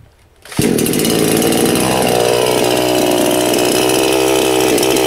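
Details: New Anbull chainsaw first start after priming fuel through carburetor: cranks, catches and settles into steady high buzzing run with no misses or sputter; running fine.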